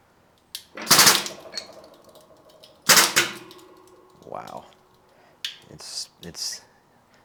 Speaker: you can hear that in the camera it's like creaking and cracking or splintering you can hear it doing stuff